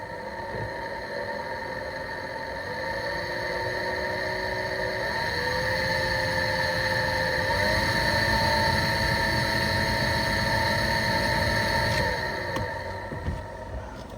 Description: The blower motor in my 2010 Chrysler Town and Country minivan has started making horrible screeching noises.